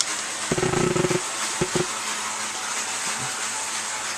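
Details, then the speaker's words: Tenshodo brass USRA 0-8-0 model locomotive running slowly, with a harsh buzzy rasp like gears grinding and a couple of sharp clicks; the owner suspects the gearing, not confirmed. "once I run it you'll understand why it makes a really loud noise that sounds like gears grinding"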